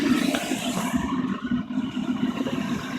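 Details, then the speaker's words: Waste-motor-oil burner with pumped oil, not yet up to temperature: propane assist (about 5 psi) shut off as a test, steady roar loses its hissing top and drops to a duller rumble; roar lost, weaker flame, so propane is restored. "i might get brave and shut off the pulpit see what happens oh the roar went away"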